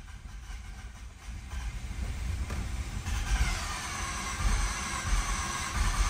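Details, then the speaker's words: 2011 Mazda RX-8, 1.3 L naturally aspirated rotary, low compression; long uneven cranking with deep chugging that surges but never catches; badly flooded, nearly starting. "Come on, you piece of rotary. This thing's flooded so bad. Come on, baby, go!"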